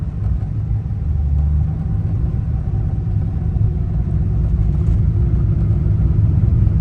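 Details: Ford Mustang Fox Body after replacing the distributor pickup (PIP/stator), with a 4,000–5,000 rpm miss before; steady, even low exhaust rumble under way with no stumble or misfire, pulling cleanly and sounding healthy.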